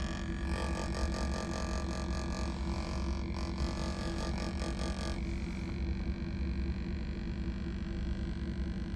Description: this sound is coming from the air temperature sensor aspirator which is common to fail at high mileage on Chevy/GMC trucks.. Suburban, Tahoe, Yukon, Silverado, Sierra